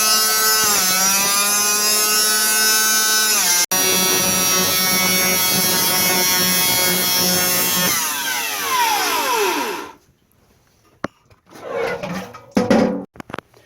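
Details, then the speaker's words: 1930s Cinderella washer, universal AC-DC motor, 110 V 2 A, low-suds detergent plus too much dish soap: after about five minutes, high strained whine with stacked tones, then pitch sweeps down; unloaded motor overspeeding from suds lock. "I think I put too much soap in. So after a while, it got into a suds lock situation where the pumping action changes. So it took about five minutes for it to kind of make a weird sound."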